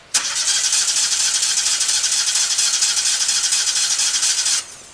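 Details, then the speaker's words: New Lincoln Ranger 250 GXT engine-drive welder on its first run with the choke on: a steady whirring crank for about four and a half seconds, then silence without firing. The tank and entire fuel system are still empty, so no start. "And of course the tank and the entire fuel system's empty. So it's going to take a minute."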